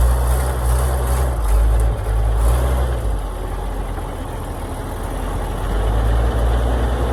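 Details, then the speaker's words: Oshkosh plow truck, possibly a 1956, flathead six governed at 2800 rpm, started in winter after sitting about 10 years, no coolant, full exhaust: deep low rumble settling into a fairly even idle with slight lope; normal idle. "seem to be running pretty good for sitting forever even has a full exhaust on"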